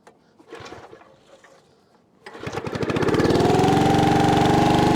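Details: 1996 Brave log splitter, about thirty years old, whose engine had seemed to seize and get tight last season, starting outdoors on a cold, windy day: quick, even pops after a pause build into a steady, strong run; normal, healthy start.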